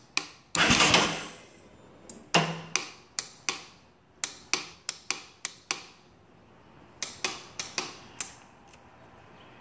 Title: Clicking noise from solenoid! 2015 Yamaha Raptor 700SE won't start!